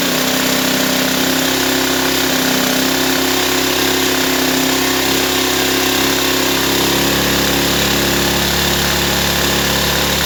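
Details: Ryobi 1200 (1.2 kVA) generator, nearly new with 3 hours use, stored 3 years, previously only ran on full choke; after carburetor refit, air cleaner off, started on choke: even, constant drone, clean firing rhythm, no knocks or hunting; normal running.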